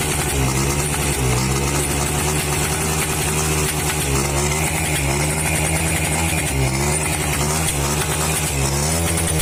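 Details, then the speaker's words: H100S motorcycle small single with a CDI, before repair: it misfires when throttled up, running unevenly with a hissy pop every second or so; cause was a damaged rewound stator (magneto) coil and carburettor faults. "তো এর problem হলো স্টার্টে pick up ধরলে miss fire করে, ফিস ফিস ফিস ফিস শব্দ হয়।"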